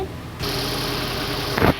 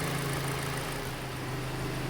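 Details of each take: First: Hyundai Elantra idling with a misfire (P0267): petrol engine runs with an uneven, lumpy beat; scanner shows cylinder 3 injector fault and O2 sensor reading lean. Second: Hyundai Elantra that had a cylinder 3 misfire (codes for manifold and intake air temperature, carbon smell) after reconnecting a loose injector plug: steady, even low hum at idle, no missing beats, running clean.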